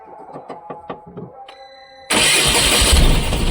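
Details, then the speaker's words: Tata BS6 petrol engine after a relay swap and DTC clearing: even cranking at about three beats per second, then it catches with a sudden roar and dies; no DTCs, fuel pump found not running. "ईंधन pump नहीं चल रहा है। इसे बंद कर दें। यह नहीं चला।"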